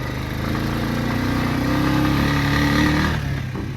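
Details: 2021 Honda Rubicon 520 DCT EPS ATV at about 1,000 miles, 10 months old: engine at part-throttle pull with a light, quick ticking over the exhaust note, a bad noise present since new; cause unclear, possibly valve clearance.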